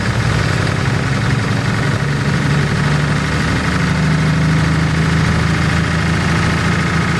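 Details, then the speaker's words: 1949 Pontiac flathead eight, previously seized engine freed and first started after years abandoned, exhaust in poor shape: light rapid ticking over rough idle, no deep knock; noisy lifter tick, suspected stuck lifters. "doesn't sound like a knock definitely sounds like lifters definitely well i guess we'll dig into that"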